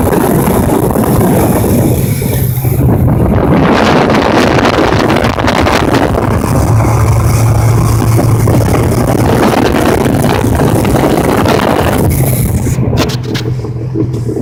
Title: Jetski making noise